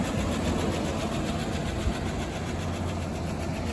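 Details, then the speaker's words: Old Chevy truck started off a jumped battery after sitting; light fast ticking, about three a second, over a steady idle, following engine speed. Owner suspects lifter tick and recalls it going away. "A little lifter tech, but as I remember, it goes away."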